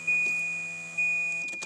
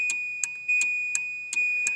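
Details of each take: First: Volvo 940 wagon with a cut wiring harness during a V8 swap prep, ignition on: steady high-pitched hum over a chime repeating about once a second, traced to a relay. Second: Volvo 940 wagon during harness cutting for V8 swap, ignition on after removing a humming relay: even ticking chime about once a second with thin high tone and no hum; electrics normal, no ABS light.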